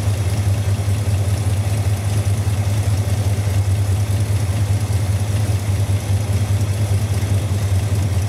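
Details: 1971 Dodge Dart V8 idling with a heavy, slightly uneven low drone and a throb of about 2.5 pulses a second. Timing was just checked at TDC on number one, 0 degrees. The source of the excess vibration is still unknown, and a compression test is planned next.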